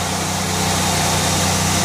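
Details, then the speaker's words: Chevy Venture wheelchair-accessible van, 3.4 V6, 85,029 miles, hood open: smooth, even idle at constant pitch with no miss or skip. Healthy idle. "let's pop the hood the 3.4 V6 it idle smooth no Miss engine sounds good"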